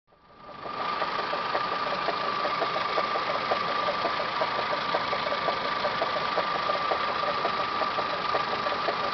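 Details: Toyota Camry 5S-FE at idle, full timing belt job done Feb 2011: steady whine with light irregular ticking from the timing belt/water pump area, started a few days ago; source unknown.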